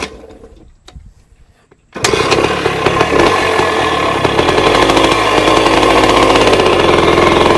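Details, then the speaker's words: 1966 Bultaco Lobito two-stroke after restart: catches then runs raggedly, popping unevenly about three beats a second, misfiring rough run. Owner suspects it fouled again; bike rarely ridden and also jumps out of second gear. "Oh, it did not like that. What that was, it might have been that fouled again."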